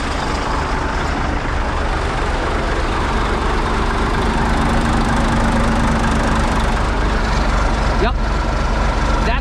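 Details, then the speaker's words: Diesel farm truck hauling a loaded trailer on the road; exhaust pipe came disconnected, running straight pipe; raw, loud roar with steady low rumble over road noise, far louder than normal. "well we're straight fighting that is why we are so freaking loud well that's cool I'm driving along and also I'm like something's loud"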